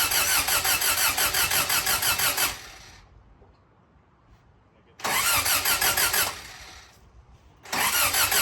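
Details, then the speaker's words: Engine cranking on a jump pack: bursts of fast, even cranking pulses about three a second, with pauses between tries; an odd noise heard while cranking, owner suspects the starter solenoid kicking back. "What was that? That's probably just the solenoid kicking back."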